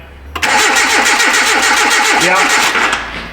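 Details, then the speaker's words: 2010 Hyundai Accent no-start after starter and O2 replacement. Power reaches the injectors and ignition coil and an injector pulse was seen, but there is no control to the injectors or the coil. It cranks steadily at about five beats a second and never catches, with no spark. "So, we have no control to the injectors. or to the ignition coil"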